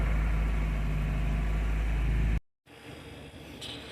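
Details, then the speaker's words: 1993 Nissan 240SX convertible, manual swap, just after head gasket and head stud replacement, idling around 900 rpm not yet at operating temperature; loud low drone that dips and picks back up unevenly on its own, no throttle input; idle surge, later traced to distributor and untied throttle cable. "So, the car is idling right about 900 and so far it hasn't got over operating temperature. So, we'll see. By the way, I did not step on the gas. That was the car."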